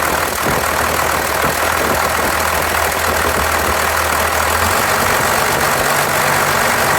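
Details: 1993 Dodge D250, 12-valve Cummins diesel idling with uneven loping clatter and a dropped pulse every few firings, a cylinder missing; injectors, lift pump, shutoff solenoid replaced, valves adjusted, 400 psi compression on all six; owner suspects injection pump.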